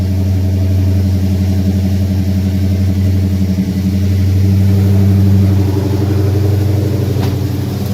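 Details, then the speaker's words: 2017 Dodge Challenger Scat Pack V8 just after aFe GT Momentum cold air intake install, no check engine lights: deep, even warm-idle burble, steady pulses about four per second with slight swell, no ticks or misses; healthy, noticeably different tone. "Sounding good. Definitely has a different tone to it now."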